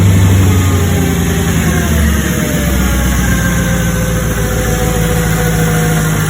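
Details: 2005 Mercedes CLK500 M113 V8 after valve cover gasket and breather cover replacement: deep steady idle, even rumble, no misses, ticks or hiss; runs smooth.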